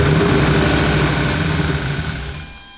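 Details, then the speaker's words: Ford Coyote V8 swapped into a Fox-body: engine catches and revs briefly to about 1500 rpm, then winds down and cuts out within about three seconds; fires but won't keep running. "Oh. Was that it? That was definitely the closest we've had. That was like 1500 RPM."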